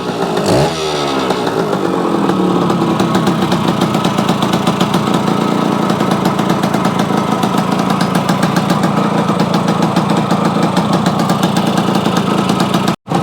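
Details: Yamaha AT-1 converted to CT-1, first start-up after rewiring, oil pump priming and carburetor fix, choke on, pre-mix fuel plus oil pump; sharp two-stroke buzz, quick blip then steady crackly idle without stumbling, normal running.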